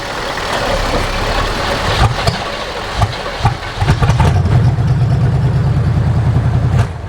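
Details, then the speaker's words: 1976 GMC Vandura 3500 motorhome V8 idling while warming up, after new plugs, cleaned distributor and rotor contacts and an oil change: low idle with uneven dips every second or two. It is much smoother but still stumbles occasionally; cause unknown. "Not trying to die now. I can put it in drive, hold it. It's a world of difference. And she's still dropping occasionally."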